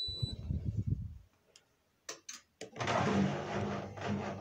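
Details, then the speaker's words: Indesit IWSD5105 washing machine after replacing the faulty part that stopped it starting (door locked and hummed but no water filled): a few beeps and clicks, then the drum turns with a steady even motor sound on rinse; it now works normally. "машина запустилась стеллаж так на машине все работает"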